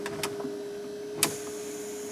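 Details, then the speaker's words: 1974 Datsun 260Z with N42 L28 engine running, AC switched on and off. Steady hum with soft clicks and one sharp hiss-pop as the vacuum doors shift, the same units bench-tested earlier; normal vacuum actuator operation. "And of course in here you can hear all the vacuum stuff that we actually tested on the bench earlier."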